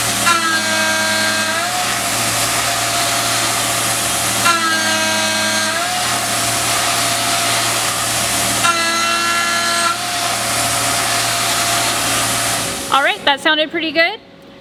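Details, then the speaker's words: Tormach 770M+ CNC mill, shell mill face cut at 200 in/min feed: steady spindle whine sagging in pitch each pass as the cut bites, then recovering; spindle loading under heavy cut. "but you could hear the spindle loading up a little bit."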